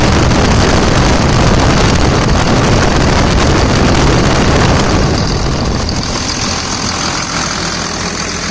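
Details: 2000 Dodge Ram Cummins diesel idling after a 65" non-AC serpentine belt was fitted to bypass the AC compressor pulley: steady, even clatter with a deep low rumble, no knocks or squeals; smooth, normal idle.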